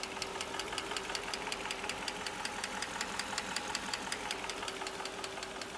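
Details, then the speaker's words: 1997 Mercedes M119 V8: brittle plastic oil-tube caps broke off, losing oil pressure to the top end; sharp light ticking about two to three per second over quiet idle, valvetrain tick from oil starvation, no cam damage found. "they will break off and then you lose the pressure that's going to the top of the engine here and it uh causes a lack of lubrication and a ticking noise"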